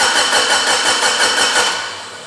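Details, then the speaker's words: Mitsubishi Lancer Evo 8 stroker, abandoned restoration, new ECU, fuel pressure present: fast even cranking for two seconds with no firing; crank no start, no spark, owner checking coil fuse. "all right no sparkies so let going check the fuse for the coi"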